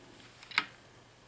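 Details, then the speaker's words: 1964 Chevrolet Impala two-speed Powerglide transmission on the bench during rebuild, output shaft turned by hand: two sharp separate clicks about a second apart; governor valve drawing up and dropping freely when dry, though owner says it sticks when lubed. "chicken in gear as you turn to shaft that supposed to draw up which it does and then it drops down you can hear it you come back around and dress back down so it's working good there"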